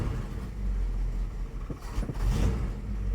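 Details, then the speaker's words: 1973 Dodge D100 V8 with new fuel pump, cold, choke taken off: deep uneven low rumble sagging and stumbling, running rich and loading up until it stalls; still needs some choke. "I'll take that choke off just adjusting my stick selfie stick oh she died it's loading up loading up"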